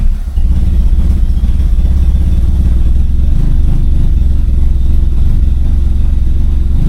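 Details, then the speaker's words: Turbocharged Corolla after fuel pump work, intake reattached, no check engine lights: deep, steady low rumble with a slightly lumpy beat, holding an even idle without stumbling or dying; normal idle. "idling finally, but And I still have no check engine lights."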